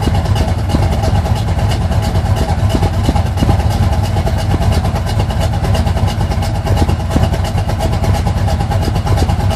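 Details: 1980 Sierra C15, junkyard L31 Vortec 350 (130k-mile pistons/rods, 9.5:1), Summit K1107 .488/.510 lift cam, Performer RPM intake, 600 Holley, Flowtech headers, Thrush turbo mufflers; cold rough idle: deep, irregular stumbling lope under heavy low rumble; mic clipping.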